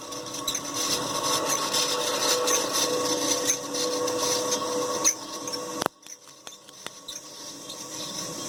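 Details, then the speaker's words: Hampton Bay Huntington III ceiling fan motor without blades, run in reverse: dry, raspy rubbing squeak over the spinning motor for about five seconds, then drops off sharply; motor squeak, needs work. "it's squeaking two more in that direction"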